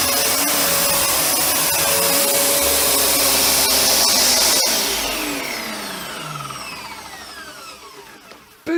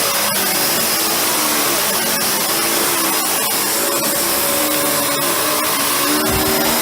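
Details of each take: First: Panasonic MC-UG302 1900 W upright vacuum with new brushroll fitted after the old one seized: steady high motor whine, brushroll spinning smoothly, then even wind-down at switch-off; normal running. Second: Panasonic MC-UG302 1900 W upright vacuum that came in with a seized brushroll, now freed but still tight in spots: loud steady roar with rough, uneven grinding underneath at the brush end; worn brushroll bearing.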